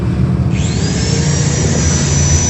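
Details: Maktec MT90 angle grinder retested after repair (before, a worn armature commutator caused big sparks and weak power): a loud motor roar with a thin whine that climbs as it spins up and then holds an even pitch, no sputter, power restored; normal running.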